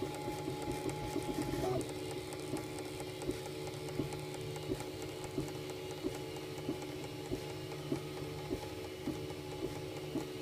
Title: UM2 feeder ticking noises